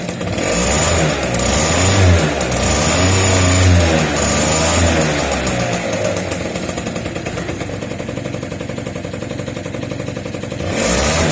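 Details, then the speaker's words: Two-stroke scooter after cutting open its Polini exhaust, which rattled like maracas from something loose inside, pipe refitted; crisp buzz rising and falling with throttle blips, no rattles or misfires: normal running after repair. "Voir si ça fait plus de bruit, voir si ça se voit. On va voir ça. T'as vu, le bruit il reste correct."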